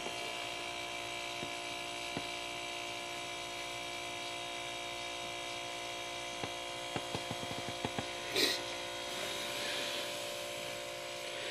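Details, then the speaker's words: Three-gallon Harbor Freight air compressor converted to use an old refrigerator compressor as pump, started in cold weather: steady, even hum with fixed pitch and no knocking or rattle; runs smoothly, far quieter than the original pump. "so i mean this is an old compressor so it's not super quiet but it's 100 times better than what it was okay compressor's running"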